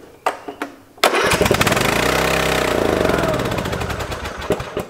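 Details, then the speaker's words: Free Craftsman lawn tractor unused since 2017, after refilling with 90-octane ethanol-free gas; a couple of cranks then it roars flat out, very loud, no settling to idle, like a runaway diesel; gummed-up carburetor. "holy hell this thing sounds like a runaway diesel oh my gosh the gas really helped so this thing is scary"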